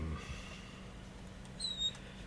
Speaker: I think I'll be lubricating that rail. You hear the squeaking?